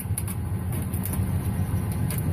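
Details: 2007 Ford F150 V8 that cranked but wouldn't start, idling after the broken fuel pump driver module was reconnected and duct-taped: steady low rumble, even beat, no misses, smooth regular idle. Normal idle after repair.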